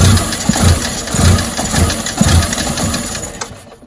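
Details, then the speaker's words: Fiat 500 with rough running and sensor errors, intake pressure sensor already changed: rough idle with heavy irregular thumps roughly every half second; source of the banging unknown. "but what the hell is making that banging noise any ideas what's causing that bang please let me know see what you think"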